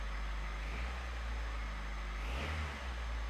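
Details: 1989 Honda Prelude Si petrol engine, after a timing belt, coolant line and clutch job, idles smoothly, then gives a quick clean rev and settles back with no knocks.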